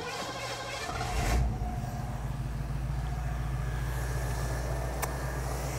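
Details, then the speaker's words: 1967 Ford Mustang carbureted engine after tune-up for dead miss, vacuum gauge and timing checked: brief rise then steady, even low rumble with no misses or knocks; smooth, normal running. "yeah it's planed out perfect i always giggle when they do that"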